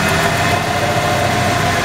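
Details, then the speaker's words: 1994 Ford F-150 with 265K miles, loping idle and lean condition, IAC replaced, fuel rail pressure good: starting fluid sprayed around the intake changes the rpm, with an uneven, slightly loping idle and hissy top end. Vacuum leak between throttle body and plenum. "that difference in the RPM okay we know for a fact now there's a week between the throttle body right here and the plenum"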